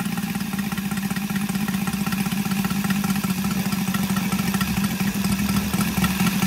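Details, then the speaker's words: Brand-new Saito FG-73 five-cylinder radial, fully upgraded with Morris Mini Motors hardware and exhaust ring, on a Biela 20x10 four-blade prop (600–5500 rpm): steady, smooth drone holding even speed, no misses or rattles; normal, healthy running. "okay as you can see uh engine starts lovely and very easily as well um exhausts really finish it off make it sounds uh pretty healthy"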